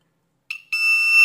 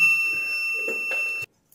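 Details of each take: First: Ezion digital water level indicator meter after replacing shorted A733 transistor with A1015: short chirp, brief gap, then clean steady high-pitched beep only on proper sensor signal; normal full-tank buzzer. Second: Ezion digital water level indicator meter with sensor cable disconnected: continuous high-pitched beep around 2.7 kHz and full-tank display despite no sensors; false full-tank alarm from shorted buzzer switching transistor.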